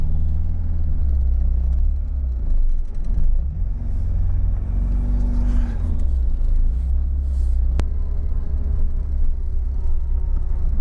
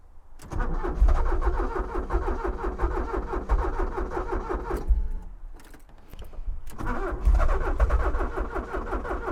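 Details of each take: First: Porsche 944 engine running smoothly after no-start trouble: an even, steady low rumble with slight swells as the throttle moves, and no misses or knocks. The owner suspects wiring or injector supply only at starting. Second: Abandoned Porsche 944 that ran a week ago now cranks but won't start. The starter churns at an even rhythm in two long bursts with a pause between, and the engine never catches. The owner suspects sticking fuel injectors; he zapped each one with a power probe to unstick them, but the cause is unconfirmed.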